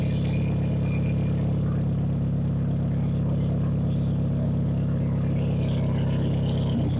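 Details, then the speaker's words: Sundance four-cylinder idling right after timing belt, water pump and tune-up, just restarted; smooth, even low rumble with no knocks, misses or squeals. Normal idle; nothing goofy, no funny noises. "Nothing did anything goofy. Everything spawn happy. No funny noises."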